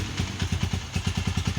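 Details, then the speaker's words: Honda CG 125 single-cylinder after complete engine rebuild and refit (connecting rod had been making noise): even thump about ten beats a second, steady and clean, no knock or clatter, no extra engine sound; normal idle. "Start करो अल्हम्दुलिल्लाह okay की report में कोई engine में extra sound नहीं"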